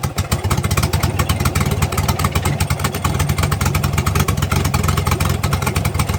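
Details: Turbocharged engine after an exhaust leak repair, at fast idle: quick, steady exhaust patter with no leak puffing or ticking; healthy.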